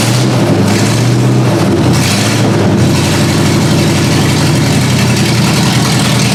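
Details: Ford Granada V8 after sitting, open headers: engine blips, then settles into a lumpy, uneven idle that struggles to stay steady; rough idle, cause unconfirmed.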